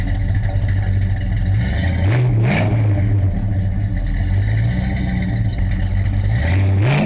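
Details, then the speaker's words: 1970 Mercury Cougar Eliminator clone with a top loader manual conversion, started up: a choppy, loping idle at about four beats a second with a couple of blips and plenty of shaking. The lumpy idle of a mild performance cam. "There's a whole lot of shaking going on in there. It's got a little cam in it."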